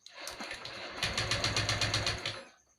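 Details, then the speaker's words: Honda Vario 125 FI being rewired after a burnt harness, MIL blinking, starter button fed from battery: starter churns in quick even pulses about four a second but engine never catches; cranks, won't start. "Dengarkan ya, tak mau hidup,"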